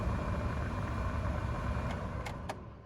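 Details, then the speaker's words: 2002–2008 Dodge Ram (2007) blower motor after replacement: steady, even rush of air with a low rumble and no rattle or squeal on a higher fan setting; much more airflow than the weak old motor; normal blower operation. "Hey, there's air. You guys can probably hear that actually. Air."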